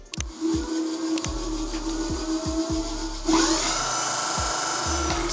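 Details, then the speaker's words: Nanrobot electric scooter (D6+, D4+ 3.0 or LS7+) with hydraulic Nutt disc brakes, wheel spinning: rhythmic scraping swish about twice a second with faint ring as the pads rub the disc; fixed by loosening the caliper's two 5 mm hex screws and realigning it. "as you can hear, the brake pads are touching the brake disc."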